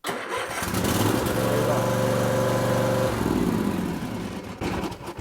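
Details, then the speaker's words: Cub Cadet riding lawn tractor, jump-started with jumper cables, parking brake engaged, nobody on the seat: short crank, then the small engine fires promptly and settles into a steady, even run; a normal, healthy start. "here i'll show you i'm not even going to sit on it and this thing will start"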